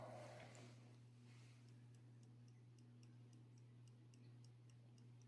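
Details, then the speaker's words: Vintage radioactive-dial pocket watch running normally: crisp, evenly spaced ticks about four per second over a steady low mains hum. "I don't know if you can hear it ticking either."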